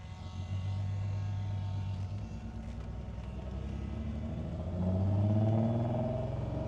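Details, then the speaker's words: 1973 Datsun 240Z, 35,635 miles, off the road over 2 years, brake caliper and line just fixed, warmed up then choke off, pulling away in first gear; steady low exhaust burble climbing smoothly, no knocks or misses; sounds good, shifts fine. "Ooh, it sounds good. Shift's pretty good. Let's go around the block here."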